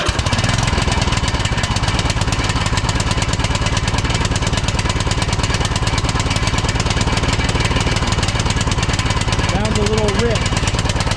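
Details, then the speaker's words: 2006 Troy-Bilt Pony lawn tractor after replacing a flooding carburetor with a new one and fitting a new Hyper BK5ECU plug. At idle: uneven, lumpy, seemingly rich rough running; carburetor suspected. "Okay. Well, it doesn't seem like it's running very good on this carburetor. And if this is the idle speed adjustment, I think I had it run all all the way in and it was still running kind of bad and I changed the plug."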